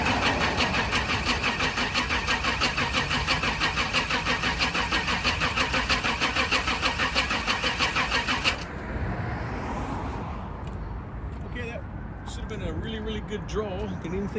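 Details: 1998 Chevrolet C3500 HD 454 V8 bucket truck, after sitting: starter turns engine over evenly, about three compression beats a second, for eight seconds without firing; spins freely.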